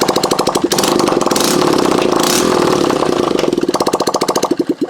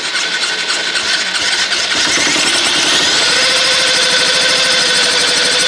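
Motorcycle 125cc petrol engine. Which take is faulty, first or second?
second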